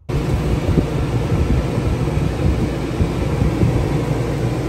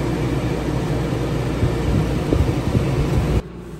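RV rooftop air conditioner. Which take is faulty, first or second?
first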